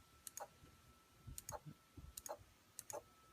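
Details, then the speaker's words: Chinese-knockoff Delta DLT-180 3D printer, X axis jogged 10 steps on a known-good spare stepper (rated 7 V, not 12 V): the motor flickers, clicks, squeaks and skips. Owner suspects the supplied steppers are miswired, or firmware/board. "so here's ten and it just flickers and makes a loud squeak here we go again"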